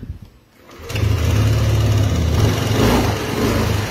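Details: 2018 Yamaha Aerox version 1 scooter after ECU repair: quiet first half-second, then the engine catches and settles into a steady, even low putter with no misses; runs healthy.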